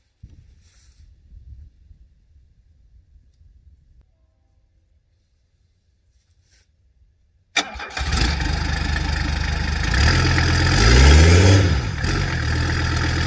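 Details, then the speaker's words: Classic Mercedes-Benz W123 first start after a newly installed turbo diesel engine, no coolant yet, checking for leaks: silence, sharp crank, catches, briefly rises, settles into even regular diesel clatter at idle, no misses; normal idle. "listen to that kitty purr"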